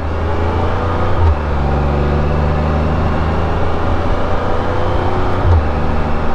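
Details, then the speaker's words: 2023 Can-Am Spyder, cruising and shifting up a gear or two: steady drone with a smooth even whine that gets quieter with each upshift; normal drivetrain whine. "go up a gear another gear just gets quieter it's just trendy wine absolutely normal lovely to me adds music to my ears"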